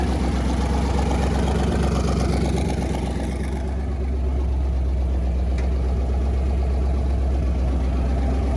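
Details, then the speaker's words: V8-swapped Toyota Corolla with newly fitted Holley Sniper EFI and rewired car, first start: deep, lumpy idle about four beats a second with occasional soft pops and chirps; ignition timing believed a few degrees off from the set 15, timing light faulty. "the timing is off so it's a little backfiring the system thinks it's at 15 but it's just a little off probably like a few degrees and that's why it's you getting a little chirps out here"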